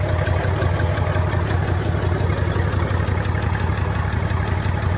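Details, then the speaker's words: 1965 Chevrolet C10 short bed inline six, sitting since 1994, running on fuel poured into the carburetor: deep, steady idle with even low pulse, no misses, knocks or ticks, smooth as a sewing machine; normal idle. "I mean, it just runs like a stinking sewing machine."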